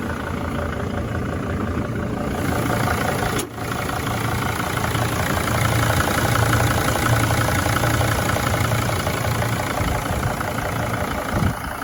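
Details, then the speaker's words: Van diesel engine idling after repair: knock traced to cylinder two, a broken piston ring that scored the wall; cylinder honed, new rings on a used piston, original bearings reused. Even clatter, no knock, runs great after about 50 miles. "I can live with that I've driven it about 50 miles and it runs great"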